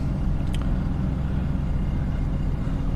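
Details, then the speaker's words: Mercedes CLK55 AMG, check-engine and airbag lights on, running on a temporarily rigged fuel pump fitting: steady, even low idle rumble with no misses; it idles well, though a squeaky belt is noted afterward. "pop the hood well it runs it seems like it's idling pretty good"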